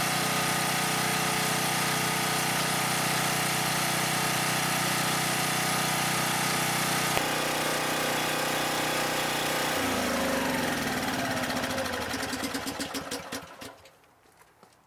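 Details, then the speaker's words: Husky 1850W generator with Mikuni T3044 carburetor converted to natural gas, choke fully closed and gas barely open: steady even small-engine drone for about ten seconds, no hunting or surging. Normal running. "okay so there you got it probably the easiest simplest and cheapest conversion to the natural gas"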